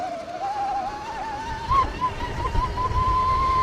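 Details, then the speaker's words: 2026 Tork Pro Sport 72V electric dirt bike riding on a straight: steady high whine rising in pitch with motor speed, like wind howling, over wind and tyre noise; unusual motor noise, cause unknown to the rider. "kind of like wind howling kind of noise. You hear it more in the straight section coming up here soon."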